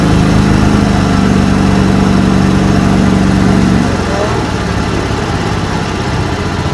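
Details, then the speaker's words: 1989 John Deere 285 with Kawasaki FD590V V-twin: the steady drone sags and roughens under load, bogging as it did moving through thick grass. Owner suspects the ignition coils. "I'm anticipating she's going to bog down because that's what the clues were when we first had some trouble."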